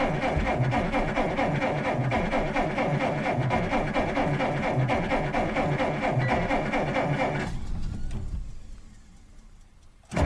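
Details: 1947 Dodge failing to start over several days: steady rhythmic starter churning about two beats a second for several seconds then stops without firing; cranks but no start, owner suspects electrical problem, petrol smell, cause unconfirmed.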